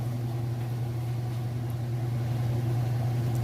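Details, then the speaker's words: Whirlpool top-load washer (matching electric dryer set), final spin cycle with a large load: steady, even low hum with no thumping or banging, balanced drum, nice fast smooth spin; normal spin. "it's nice smooth operation sounds great"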